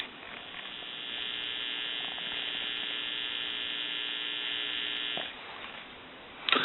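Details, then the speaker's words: Thomas Limited Edition telephone handset with some static but mostly a steady buzzy hum for about five seconds, then quieter hiss; the owner had line surges and added a surge protector, a possible cause not confirmed. "there was some static on the handset too but for the most part it's kind of like a hum"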